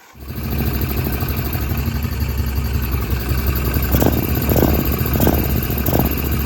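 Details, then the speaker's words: 2002 Kawasaki Prairie 650 4x4 ATV after new drive belts, run slowly to break them in: steady low even rumble with a few light clicks; engine and belt drive sound normal. "Well, at least I know that fuel light's working. And all that sounds normal."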